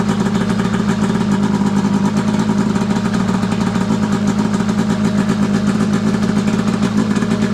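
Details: Arctic Cat F7 two-stroke snowmobile after draining bad fuel and refilling with fresh mixed gas (oil confirmed in fuel), after earlier bogging and dying: crisp even idle buzz, no misses, pops or knocks; running healthy.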